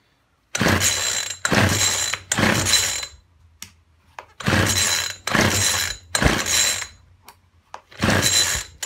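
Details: Poulan Weedeater Featherlite two-stroke strimmer, left standing a while, after fuel line replacement with the primer bubble full and fuel returning: about seven rasping second-long cord pulls with not one firing stroke. It cranks but won't start; the spark plug is checked next.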